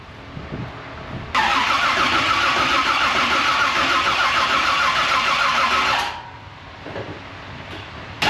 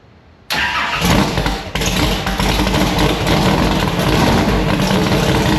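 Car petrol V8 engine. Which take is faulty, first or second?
first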